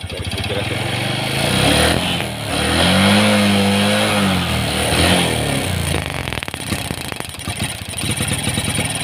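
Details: Carbureted Honda Supra X 125 hard to start that bogs and stumbles when revved despite a new spark plug, with ignition and fuel flow checked normal. The cause was the carburetor main jet dislodged from its place.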